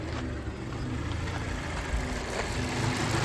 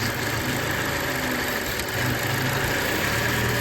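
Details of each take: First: 2014 Mazda 6 four-cylinder with code P0171 system too lean bank 1, stalling: low uneven idle, rpm swelling and sagging; vacuum leak spray test showed no change, traced to a faulty mass air flow sensor. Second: 2014 Mazda 6 four-cylinder with P0171 lean code, rough idle and stalling; with the mass air flow sensor unplugged it settles into a steady, even idle with no stumble or hunting, pointing to a faulty MAF sensor; smooth idle.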